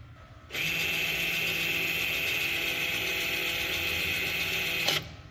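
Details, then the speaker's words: Jeep Renegade 1.8 rear electric parking brake retracted via scanner procedure before caliper removal: steady high-pitched motor whir for about four seconds, then clean stop; normal parking brake motor operation. "eu vou apertar aqui ó procedimento para abrir o freio do estacionamento traseiro quando eu apertar eu vou apertar e vou filmar aqui para vocês"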